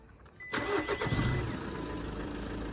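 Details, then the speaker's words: 2001 Lancia Lybra 1.9 JTD turbo diesel, cold start after DPF warning light: cranks and catches at half a second, then rough harsh idle; cause of the unpleasant noise unclear, mechanic visit considered. "It's a very unpleasant sound."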